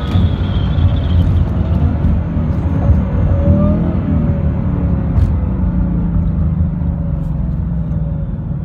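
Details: 2018 Ford Mustang GT with automatic transmission: deep V8 rumble with a faint wavering mid-pitched tone over it; weird noise, cause unclear.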